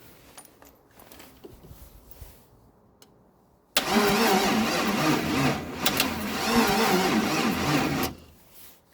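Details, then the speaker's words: 1956 International R180 first start attempt with a junkyard 454 V8: starter drags the engine over slowly for about four seconds without firing; battery charge and age unknown, suspected weak. "um that was a slow turn which is fine because I have no idea how much juice is in my batter or how long it's been sitting for"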